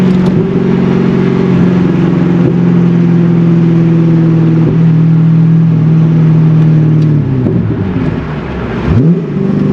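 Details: C5 Corvette, manual, hot day, pulling away from a light after the intake was reinstalled; note climbs smoothly and evenly then eases toward the shift, no misses; clean healthy pull.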